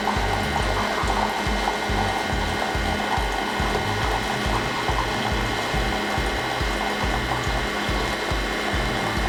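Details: Keurig K-Compact coffee maker brewing a K-cup pod on the large cup size, after the initial line flush. Steady pumping hum with a fast pulsing throb of about two beats a second as water pushes through; normal brewing.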